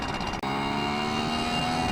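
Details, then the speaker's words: Yamaha QT50 two-stroke moped with upgraded exhaust, changed carb jet and ram air, at about 25 mph at wide open throttle: high drone that sounds soft and blubbery. Needs a leaner jet. Rich mixture at wide open throttle. "open road wide open throttle not good I am not impressed with this"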